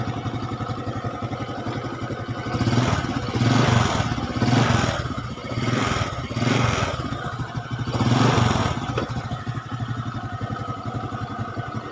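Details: Honda Supra X 125 carburetor motorcycle after cylinder block/top-end repair for harsh engine noise: quiet, even idle with four clean throttle blips rising and falling smoothly, no grinding or rattle; now smooth versus rough before repair.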